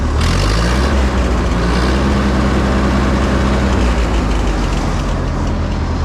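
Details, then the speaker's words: 1952 Harry Ferguson TO20 tractor after carb rebuild and replacing a plug with a D16: low, even roar building and holding steady on a rev, much better, though a slight sputter remains and the idle probably needs readjusting. "still got a little bit of a sputter T we'll probably have to readjust the idle now that we're adjusting idle on all cylinders but here's your little rev"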